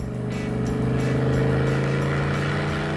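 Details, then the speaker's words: 1980 Pontiac Turbo Trans Am pace car, 4.9 L turbo 210 hp, after sitting in a garage; full-throttle driving, strong steady drone building smoothly with no knocks or flutter; turbo pulls cleanly, healthy. "foot to the floor the turbo feels pretty good everything's pulling really well well for sitting in a garage This Thing Really Got a bit of guts eh"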